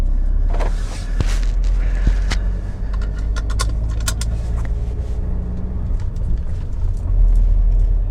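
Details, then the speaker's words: BMW E60/61 5 Series driving over rough surface after re-securing a loose strut brace (stripped bolts drilled, tapped to M10): only road rumble and light clicks, no creaking from the dash; creak gone. "I can tell you already it's gone"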